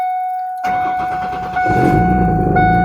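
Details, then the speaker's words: 1992 Ford Taurus, about 109,000 miles, after tune-up, new distributor and O2 sensors: fires into loud raspy idle with steady whine; muffler needs doing and exhaust manifold or flange near O2 sensor possibly leaking. Loud exhaust. "got to do the muffler on this and i got to do the um that's why it's loud"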